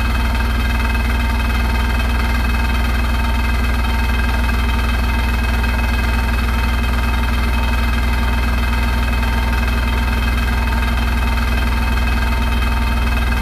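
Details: Hotpoint NSWR843C washing machine on final fast 1200rpm spin: loud steady roar with an undertone of rattle, far noisier than a healthy spin; cause unknown.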